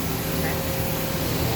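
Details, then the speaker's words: 2002 Okuma Space Turn LB-300M live-tool CNC turning center (20 HP spindle motor, 4500 rpm max) spindle running at about 2,000 rpm with the door shut: steady, even whir with no knocking, wobble or vibration; normal spindle run. "sounds good no vibration perfect"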